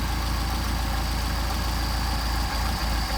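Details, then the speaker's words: Brandon MBI 190SL Solex carburetors, adjusting idle mixture screw in until stumble, out until stumble, then setting midpoint: steady idle that dips and stumbles as the screw passes its sweet spot; lean/rich mixture idle stumble. "So screw it in until the engine stumbles, back it out till the engine stumbles, get a midpoint. It's real easy. Doesn't take much adjusting. Hear the engine starting to degrade."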